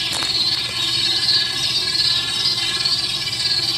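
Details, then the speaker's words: Dolphin S 300i robotic pool cleaner after an experimental temporary fix (guitar pick wedged in place) for a skipping drive gear, replacement gear on back order: steady high-pitched motor and gear whine, even, no clicking or skipping; drive running normally. "use my toe to start it up and uh there it goes just goes the other way"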